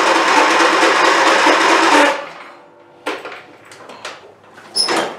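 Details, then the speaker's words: Abused, long-unmaintained Craftsman YT4000 hydrostatic riding mower, after fresh fuel and new spark plugs: about two seconds of steady cranking with no firing, then stops. Cranks but won't start, no fuel delivery; fuel pump later ruled out. "So the answer to that would be no. Alright, what you want to do now? Maybe we should see if there's fuel coming out the other side of the pump."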